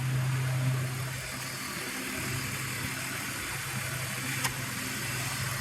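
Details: BMW E46 idling with AC and fan on after a DIY refrigerant recharge, vents cold at about 16; a low drone drops out briefly and returns as the AC compressor clutch cycles on and off.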